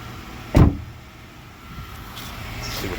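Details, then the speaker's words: 2014 Honda CR-V EX AWD door closed: one sharp slam followed by a hollow, booming ring; the door skin is separated from the frame after bad filler bodywork and drums like a drum. "today we're working on the 2014 CRV trying to solve a problem in this door listen to this door when I close it you hear that sound it sounds like a"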